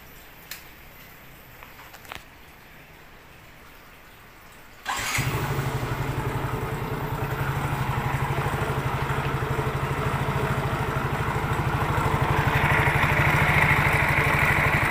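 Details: Yamaha Mio J scooter idling and revving: coarse, rattly drone from the CVT/belt drive side that roughens with revs; inspection found the CVT roller housing loose.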